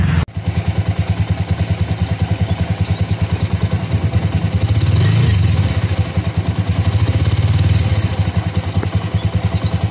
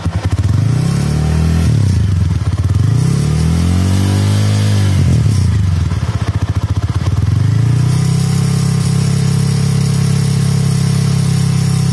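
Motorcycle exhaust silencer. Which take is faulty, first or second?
second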